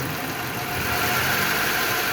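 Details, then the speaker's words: Car engine after replacing a damaged, poorly lubricated rocker arm (which had stuck and caused loud valvetrain noise) and changing the oil: even, stable idle with soft steady purr and no tapping; normal after repair. "qué finito se escucha estable"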